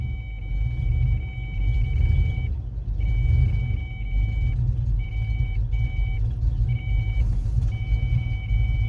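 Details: 1993 Mustang LX convertible 5.0, 5-speed, with new plugs, wires and distributor, timing set: deep exhaust rumble surging and sagging with throttle held steady just above idle, bad misfire.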